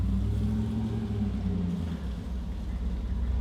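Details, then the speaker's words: Flooded, wrecked 2014 Super Aéronautique 230 inboard surf boat mid-rebuild, throttle applied with the shaft lubricated. Deep, steady rumble stays even as throttle comes on, no knocks or misses; running normally. "give us some juice oh she sounds so good"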